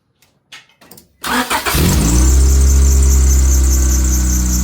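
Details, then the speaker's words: Honda Accord first start-up after cylinder head reinstalled for misfire repair, exhaust still loud and unrepaired, belt still to tighten: a few clicks, catches first try without priming, settles into steady, even idle. "So the biggest thing is it had really nice harmony when rotating. Start up perfectly fine."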